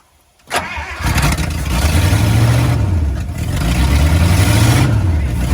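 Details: 1954 Buick Roadmaster with a 322 Nailhead V8, stored 10+ years (exact time unknown), catches after a short crank and settles into a lumpy, rumbling idle that surges slightly.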